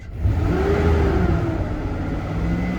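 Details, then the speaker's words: Chevy truck reported as knocking, after topping up low oil and a battery jump: engine revs smoothly and holds an even drone, no knocking or tapping; sounds healthy. Slight smoke is from spilled oil. "no knocking it sounds really good"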